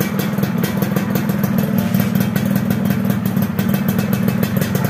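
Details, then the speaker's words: Yamaha F1ZR two-stroke after replacing the porous, leaking cylinder head: steady even idle with quick regular beat, no stumbling; idling normally. "alhamdulillah bisa langsam bisa stasioner engak gorang seperti tadi ya dan penyebabnya adalah Fer head yang kopos dan bosor"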